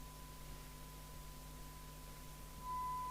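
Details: York JCB861 CB27/81 UK FM CB radio, after replacing a faulty electrolytic capacitor in the PLL section that caused no receive or transmit: soft steady hiss, thin constant tone, faint signals; receiver working again.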